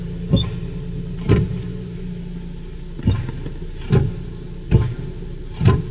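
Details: 2016 Renault Duster, 2.0 petrol, automatic, all-wheel drive, about 3,500 km: six dull clunks about a second apart over a steady idle hum, heard inside the cabin as the brake pedal is pressed; brake pedal knocks.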